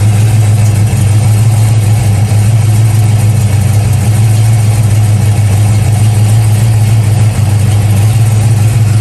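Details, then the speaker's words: Cammed V8 warming up at idle, just above 140 degrees, battery disconnected, with a 200-degree in-coolant fan switch just installed; deep loping idle drifting up and down, hunting slightly. "i have the battery disconnected and it's kind of been chasing idle a little bit but still sounds pretty good"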